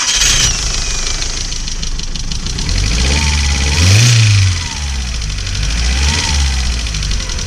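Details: Audi A2 1.6 FSI after inlet manifold strip-down, injector replacement and inlet valve decoke, earlier poor running with misfire and EML light: engine cranks, catches and revs, then settles to a steady run, starting cleanly with no hesitation.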